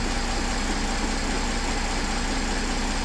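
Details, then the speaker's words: Mercedes CLS 3.0 diesel with a warning light and power loss, after the turbo actuator was replaced and fault codes were cleared: even, steady idle with a smooth rhythm and no knocks, whistles or hunting; problem resolved. "alors problème résolu moyens moteurs il est parti [Musique] il bon apparemment il fonctionne nickel"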